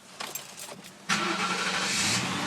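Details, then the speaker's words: 1995 Lincoln Mark VIII idling at about 2000 RPM with no throttle right after start-up; no vacuum leaks, brake booster blocked off, relays, computer and mass air sensor swapped without change; fast steady high idle, cause not found. "Start. And that's where she idles at. I don't have my foot on the gas at all. That's where she's idling."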